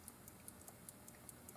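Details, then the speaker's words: Antique clock opened from the back with a missing or broken anti-backlash pawl that should hold the spring wound; while the spring is held wound by hand, crisp, even ticks about five per second over a quiet room; normal escapement ticking. "In this case, there's nothing holding it wound, so it just unwinds itself immediately. But if you hold it wound, you can see it begins to tick."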